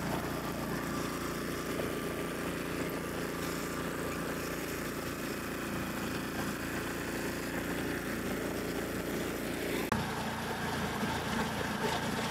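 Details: Snowblower after repair, after sitting five to ten minutes: small single-cylinder engine putters along at a steady, even beat, with one brief change near the end; normal, healthy running.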